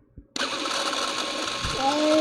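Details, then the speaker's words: Late-model Super 8 sound movie camera running: harsh scratchy whir with a thin squeal climbing in pitch near the end, a dry noisy mechanism needing lubrication. "Now, you might have heard that. Maybe you didn't hear that, but it's a noisy one, this. It's a bit of a screamer. It definitely needs lubrication, okay?"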